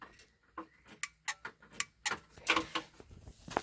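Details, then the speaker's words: Kawasaki Mule 3010: starter relay clicking sharply and irregularly, about a dozen clicks in four seconds, with no cranking; a new starter did not fix it, and it is not the starter relay. "so what i've done is this originally i thought it was a starter relay and that wasn't the problem so here's what happens if you put the starter relay on there you can hear it clicking so something's happening"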